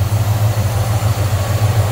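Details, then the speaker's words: Normal idle of a 1969 Chevrolet C10 half-ton regular cab short box with a 350 small-block Chevy, Turbo Hydramatic 350 automatic and HEI ignition, recorded with the hood open: a deep, steady, even V8 lope with no knocks or ticks; sounds good. "sounds good looks good nice tiny clean engine bay"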